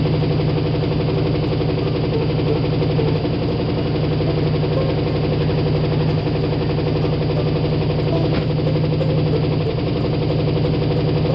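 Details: Carbureted Ford V8 started after sitting all winter: rough, loping idle with one cylinder dead (running on seven) and a heavy deep rod knock about four times a second.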